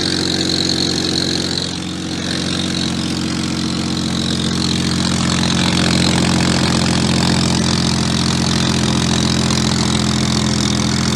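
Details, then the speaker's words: BMW 135i at a steady petrol idle with a breathy hiss and soft rapid puffing from an exhaust leak at a gap where the mid pipe meets the axle-back, where heat can be felt escaping. "the mid pipe meets the axle back, there's a gap, and you can feel the heat escaping right there, and that's definitely the source of the leak."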